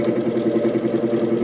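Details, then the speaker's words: 1949 GE Vortalex 12-inch desk fan before repair, motor worn, on third speed: steady hum with a fast throbbing beat, roughly ten pulses a second, from a badly out-of-balance, wobbling blade; owner suspects a bent shaft. "Ooh, off balance. Oh, boy. Really off balance. Um Oh, Looks like it might even have a bent shaft."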